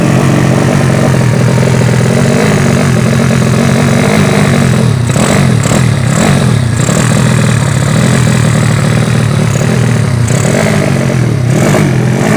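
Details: Yamaha Vega ZR with swapped Mio cylinder bored to 200cc (66 piston, standard stroke), Tiger carburetor, test-started after long storage; idle hunts and stumbles, uneven revs, flat blips not picking up cleanly, carb not yet set, running lean.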